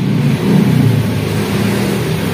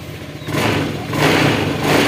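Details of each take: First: Honda Scoopy ESP fuel-injected scooter, hard to start, battery dead and a borrowed one fitted: idle surges up and down, revs rise and sag without clean pickup, throttle response very late; weak fuel pressure from the fuel pump. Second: Honda Scoopy ESP fuel-injected scooter after fuel pump filter fix, previously needing up to 10 kicks to start: quick, clean throttle blips, revs climb and settle evenly with no stumble or misfire; more responsive, running healthy.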